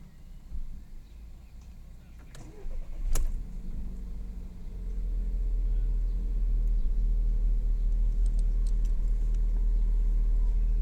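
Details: Mk6 Golf 1.4 TSI 122 PS, started cold after sitting 6+ hours: heavy, slightly uneven idle with faint ticks, first suspected misfire but is the fast catalyst warm-up running the secondary air pump; smooths out afterwards.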